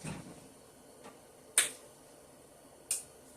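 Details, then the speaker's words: Thermal Dynamics Cutmaster 52 plasma cutter after replacing the chattering contactor coil: a couple of crisp isolated clicks, no buzz or chatter; contactor pulls in cleanly and holds. "There it is. No more vibration, no more chatty, and so we are good on our plasma cutter, replacing the coil on a Thermal Dynamics Cutmaster 52."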